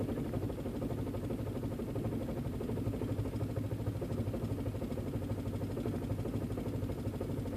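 Quiet idle with a slightly uneven, lumpy beat around three pulses a second; rough idle, cause not identified.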